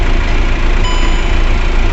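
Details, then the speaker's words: Volkswagen Passat after fixing a no-start fault (wouldn't start after being parked), now started with clutch pressed: deep, steady idle rumble, even rhythm, no misses, ticks or surges; healthy idle. "गाड़ी start हो गई है और एक बार gear check कर लेंगे एक बार गर भी काम कर रहा"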